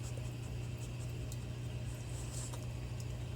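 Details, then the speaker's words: Red Dragon Bubble King 2000 skimmer pump after DIY impeller repair with JB Weld, running about 3 hours: quiet steady low hum, no rattle or buzzing from the impeller; earlier rattling gone, normal running. "It's been going now for about 3 hours. You can see that sound is completely gone now."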